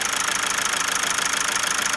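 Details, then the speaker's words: Mazda engine just reassembled after camshaft work and helicoil repair, at idle: rapid even ticking knock with occasional stumble, a slight misfire. Some blow-by at oil filler, injectors sealed; cause still unknown. "it doesn't sound brilliant i also hear a little bit of a misfire coming out of it"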